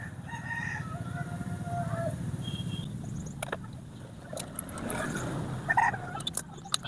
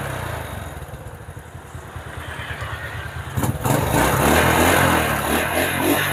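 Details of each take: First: Honda Supra motorcycle that won't start on the electric starter but starts on the kickstarter, aftermarket starter motor, battery run down: short sluggish cranking bursts that never catch; slow cranking from weak battery, real no-start cause later found to be the pulser. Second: Honda Supra motorcycle with an aftermarket starter motor, previously hard to start on electric start, with a freshly charged battery: starter cranks steadily about three seconds, then the engine catches cleanly and revs evenly; fault traced to the pulser.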